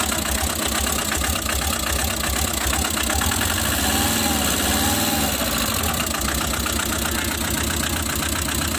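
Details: Tata Magic engine knocking at idle: rough, rapid knock about three times a second over a rattly clatter; engine also overheating with head face cutting, cause of knock unconfirmed.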